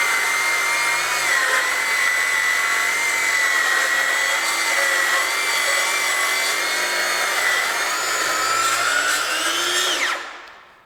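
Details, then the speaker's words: Craftsman V20 brushless 7-1/4" circular saw CMCS550B with brake, making a full cut in treated lumber on a warm battery at two bars. The high whine sinks in pitch and then spins down as the motor bogs while the clogged dust port slows the cut. "again, the amount of dust from that dust port plugging up in this full cut and treated lumber slowed me down at about right here."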